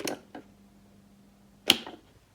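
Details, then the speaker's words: Seized 230 V single-phase AC three-wire motor driving a diesel/fuel-oil pump, left idle about two years: switch clicks, low steady growling hum for about 1.5 s without turning, then cut off to avoid burning the motor. "voilà donc dès que vous entendez un moteur qui grognent comme ceci je voulais déjà dit dans une autre vidéo la vidéo apparaît là eh bien il faut absolument arrêter le moteur sinon vous risquez de le brûler"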